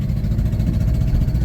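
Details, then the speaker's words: 2009 Subaru Forester X NA EJ253, remanufactured OEM heads, after engine install: rough, uneven low idle with lumpy stumbling beat; owner suspects cylinder 2 misfire from cracked head or water in block; white coolant vapor; later only code was cylinder 2 misfire. "Okay, my working theory is that from the cracked head, it's still got a cylinder 2 misfire."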